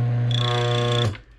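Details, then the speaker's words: Mahlkonig E65 grind-by-weight coffee grinder after motor removal and gear/transmission repair, during burr calibration: steady motor hum with a thin high ring on top, then cutoff; burrs scuffing at zero setting. "there you go it's scuffing"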